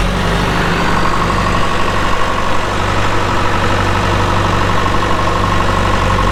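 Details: 2001 John Deere 450H LGP dozer, 9,548 hours, hystat drive, at idle: steady, even low diesel rumble with no knocks or misses; it starts right up with no excessive smoking and sounds healthy.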